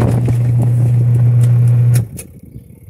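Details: Portable two-tub washing machine (5 kg capacity) after repair, capacitor involved, 120 V supply: a steady low hum runs evenly for about two seconds, then cuts off cleanly; the wash motor turns with good force. Normal motor run.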